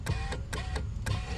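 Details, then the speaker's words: Mercedes 300SL R129 with repaired roof control module, driver's window: crisp relay clicks every quarter to half second over faint motor hum; module switching window normally. "see i'm hitting the button momentarily so you can hear that's up that's down automatic shut down driver's side going up you can hear it clicking down"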